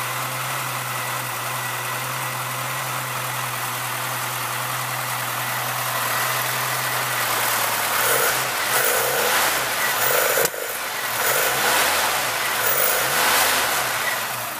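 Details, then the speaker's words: 1976 Chevrolet Chevette 1.4L automatic, just bought: smooth, quiet, even idle, then clean rising and falling revs with no knocks or misses; no smoke, runs healthy. "See that? No smoke. Runs like a champ. Actually runs really quiet."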